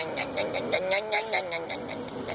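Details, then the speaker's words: VW AP engine after timing belt replacement: wavering whirr with quick rhythmic chirps about five per second because the timing belt was tensioned too tight; fix is removing the cover and loosening the belt slightly. "eu vou mostrar para você aqui que que é a correia dentada ficou apertada demais"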